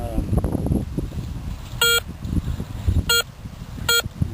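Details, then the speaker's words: Garrett Ace 250 with small coil in a park: short high beeps come and go on successive passes as target moves between nickel-foil and iron range; likely junk such as a bottle cap. "But you notice, like, if I pass one pass, you hear a noise, a beep, and then sometimes the second pass you don't hear it."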